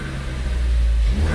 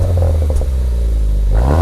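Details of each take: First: Ford Focus ST with a new K03 replacement turbo, cold, free-revved in neutral with no load: a faint steady whistle rises over the engine as it spools. It is a sound never heard on the other car, with no leak hiss; normal turbo spool. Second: Ford Focus ST, old turbo before K03 replacement: engine revs rise and fall with a light metallic clatter. The rattle comes from the wastegate flapper, which doesn't seat fully, causing power loss.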